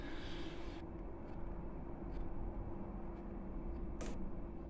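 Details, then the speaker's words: Chinese diesel air heater back to normal running on a motherboard borrowed from another heater, after an error code E-3 pointing to the glow plug turned out to be a faulty board: even fan hum with soft regular fuel pump ticks. "hey the pump started [Music] ticking yeah that's that's going to be fine that's going to be fine there that's how it normally [Music] sounds yeah that's that's fine"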